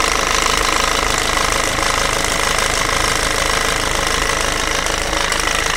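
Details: Peugeot/Citroën 1.6 HDi FAP diesel at idle: a loud, fast, hard clatter at about 2.5 per second, an abnormal-sounding knock; the owner asks whether the sound is strange, and the cause is unknown.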